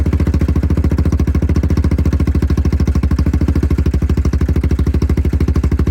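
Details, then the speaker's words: Yamaha Grizzly 660 ATV, just fitted with an aftermarket Amazon carburetor replacing the OEM one, after storage on old fuel. Cold start on choke gives a quick, even single-cylinder thump at a steady fast idle with no misses; runs fine. "First lick ain't bad, is it? Get some heat."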